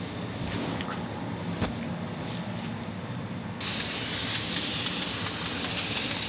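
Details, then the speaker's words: Ford 7.3 Powerstroke IPR valve removed from the high-pressure oil pump, bench air test at about 5 psi, solenoid de-energized: faint hiss then steady strong rush of air out the ports; normal flow, stops when 12 V applied. "so air is going to blow out of these ports right here"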